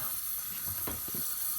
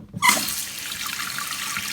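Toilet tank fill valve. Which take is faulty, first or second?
first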